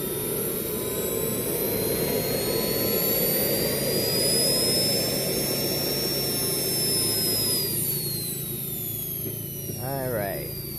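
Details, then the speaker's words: JetCat P120 kero-start turbine on a bench run, glow plug ignition with temperature rising: a high whine that hangs, then sags instead of climbing. The ECU reports acceleration too slow; the owner suspects too much air in the fuel line from the last run. "in this case i got an error that the acceleration was too slow"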